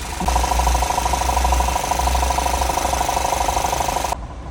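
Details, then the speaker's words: Audi A6 C7 facelift 2.0 FSI petrol at idle: fast, even ticking chatter over a low steady hum, source unknown; owner asks what it is. "Audi A6 C7 рестайлинг 2 литра FSI как думаете что так шумит кто узнает В комментариях подскажет"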